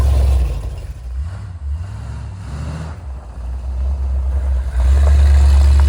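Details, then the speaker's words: 1979 Ford Bronco V8 after a restart from sitting: a deep rumble climbs strongly under throttle and settles back evenly, with no misfire or knock; it still rips. "it still rips and it's smaller than the motor home"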